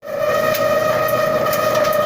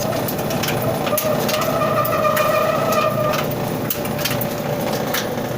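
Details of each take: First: Dryer about 25 years old: steady high squeal over the drum tumble from a dry drum support roller bearing, before oiling it through an access hole. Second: About 25-year-old clothes dryer running with a steady, even tumbling rumble after oiling the drum roller; the squeak is gone.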